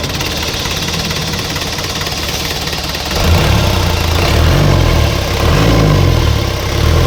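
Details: Isuzu 4BC2 diesel jeep engine after injection pump refitted, earlier knocking when revved: steady even clatter at low idle, revs up cleanly and settles with no sharp knock; normal running.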